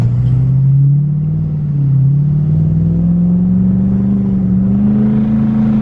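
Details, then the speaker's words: 2020 Duramax L5P diesel with Stealth 67 turbo, sport tune, warmed up, about half throttle, almost 35 psi boost: deep drone climbing steadily in pitch, no knocks or whistles; normal fast turbo spool. "So this thing, as you can hear, it comes into boost really fast."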